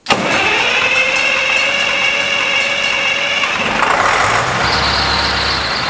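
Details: 40-year-old Massey tractor, first start after starter replacement: catches almost at once then settles into steady even diesel clatter with no grinding; clean start.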